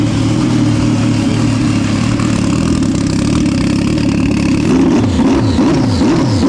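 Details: Fully built turbo Sea-Doo engine, intercooler and piping kit freshly installed, first run: strong, even engine note holds steady then a few quick blips as the turbo heats up; runs clean and healthy.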